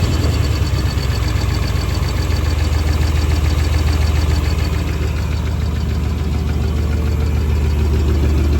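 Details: 1996 350 Vortec V8 with carb and HEI in an 1989 Chevy 1500, at idle: steady light lifter or valvetrain ticking of 3–4 per second, unchanged after new rod bearings; owner suspects tight valves and fears piston slap.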